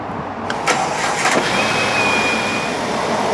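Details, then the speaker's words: Jeep Grand Cherokee Laredo after replacing the belt tensioner assembly and idler pulley: the starter whirs, the engine catches and settles into an even idle with no chirp or squeal, where it squealed before. Quiet accessory belt drive. "Alright, it's running. It's so quiet now. Ahí está prendida. Está tan calmada ahora, ya no está chillando."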